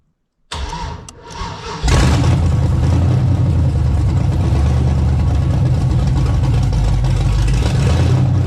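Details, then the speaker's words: LS-swapped Ford LTD Crown Victoria V8 with an aftermarket cam, first fire-up with no O2 sensors yet: cranks, catches and settles into a choppy, loping but even idle; healthy, normal cam-lope idle. "guys we got a little idle action first fire up that's bad ass start to hear that old El and Cam and are the old sloppy stage"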